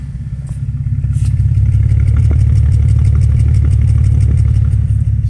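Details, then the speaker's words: 2006 Bentley Continental with check engine, traction and suspension lights and many codes: deep exhaust idle with uneven stumbling pulse, slight misfire and shake; also hard brake pedal suggesting vacuum loss, rear suspension sitting low. "so feels like slight misfire you can hear the misfire on the exhaust"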